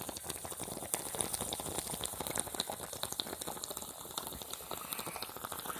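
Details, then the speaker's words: Hot water tank being drained to replace heating elements: irregular wet gurgles and drips as air sucks in through the open element hole; normal during draining. "yep it's still wanting to drip a little bit but you can hear the air sucking in through that hole"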